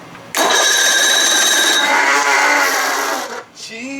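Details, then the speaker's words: 55 hp Evinrude outboard, new-old-stock replacement starter; harsh high-pitched whir and grind for about three seconds while cranking, then it cuts out; the new starter is noisy, worse than the old one, cause unclear. "why is this freaking starter making this noise man that's not cool"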